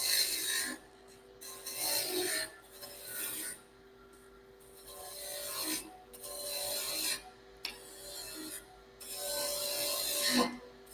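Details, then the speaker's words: Wood lathe, spindle roughing gouge doing a planing cut on a cherry handled rolling pin: rasping cutting passes that turn into light fluttering chatter as the cut stops, with the gouge wing catching a high or low spot; tool chatter. "So what I'm doing is pushing in, and when it stops, you hear it chatter a little bit."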